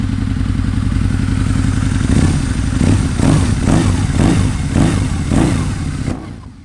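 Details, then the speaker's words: 2003 Harley-Davidson Anniversary V-Rod after service and valve lash adjustment: a deep, even V-twin idle with a steady low rumble and a few throttle blips, no ticking or knocking; sounds good once warmed up, coolant still to bleed. "it does sound very good once it's warmed up and I get the coolant to start moving around in the system I'll make sure I have that bled with no air in it"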